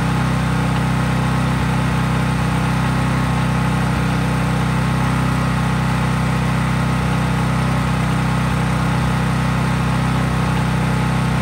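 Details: Craftsman 5000-watt generator outdoors after a cold start, at full speed with no load (only an LED bulb plugged in): a steady, even drone with a smooth low hum, no hunting or knocks; normal healthy running.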